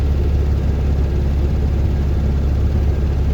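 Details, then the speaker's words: 1969 VW Beetle stopped at traffic lights after idle adjustment to stop it cutting out: steady, even air-cooled rumble with no misses, but idle still slightly high. "as you can hear, the idle is still a bit high."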